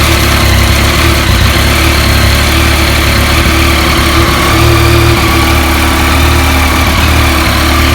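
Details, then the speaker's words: Yamaha MT-09 warming up at idle right after an engine oil change: even, steady idle with a constant deep throb, no knocks, ticks or rattles. "Alright, okey, dah tukar minyak hitam, siap dah. Kita start enjin, panaskan enjin."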